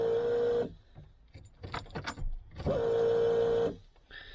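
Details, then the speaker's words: Peugeot 106 after fitting a new high-flow fuel pump, ignition on before first start: two steady mid-pitched electric whines, pulsing audible also in engine bay, handling clatter between; normal priming, no leaks found. "Putain, on entend que ça pulse. Hein. Pareil dans le compartiment moteur."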